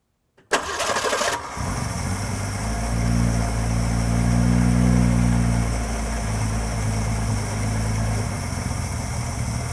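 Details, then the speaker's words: 1966 Ford 200 cid inline six from a Falcon, first start with a leaky carburetor: a brief crank, catches fast, then a loud idle with an uneven, wavering beat, a rough idle at first. "idling a little rough initially we have a running six-cylinder"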